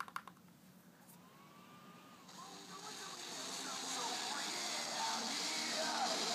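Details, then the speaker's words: Toshiba 17-inch laptop running Ubuntu: music from the speakers is buried under a rising harsh hiss and fuzz; distorted output, owner suspects an Ubuntu software issue or a bad connection, cause unconfirmed. "so that's that's what it sounds like not sure what actually is causing it"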